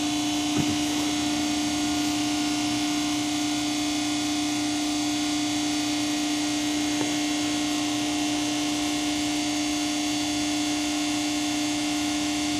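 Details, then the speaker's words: Pacific press brake with PC 800 control, started in inch mode while the back gauge homes: steady mid-pitched electric hum from the hydraulic pump at the back, no knocks or surging; normal running. "Once it's there, you'll want to origin the gauge, and when you're doing this you can hear it in the back."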